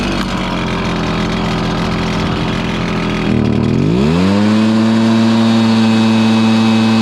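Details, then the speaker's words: Stihl BR430 blower after the bogging fix: carburetor cleaned, then the high-side carb limiter adjusted. The engine climbs cleanly to a steady high whine and holds it at full throttle without sagging, so it is running healthy. "okay there you have it man it was a struggle trying to figure out exactly what what was causing this bargain down on this steel br430 leaf blow but we discovered it"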